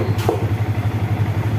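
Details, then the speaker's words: Yamaha New Vixion Lighting (NVL) single-cylinder after fixing lost electrics and ignition, neutral light dying after seconds; cause was dirty battery/fuse connections. Starts immediately, even steady thump at idle with revs, no misfire: normal idle. "kita starter langsung dia hidup ya ya kita gas-gas sudah enak teman-teman"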